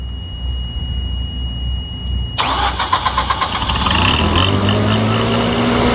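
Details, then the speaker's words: 20 kW backup generator engine after cleaning and replacing the magnetic pickup speed sensor that regulates fuel: cranks briefly, catches at once and settles into smooth steady run; holding speed, normal start and idle. "right well is Holden Holden standing that's a good sign"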